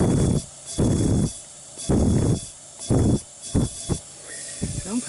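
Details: 2001 Honda Recon 250 ATV, leak-down test with the engine stopped at TDC and air fed into the spark plug hole: bursts of air hiss about once a second. First thought to be a head gasket; teardown found a rust-pitted bore and worn, seized rings. Low compression from worn piston rings.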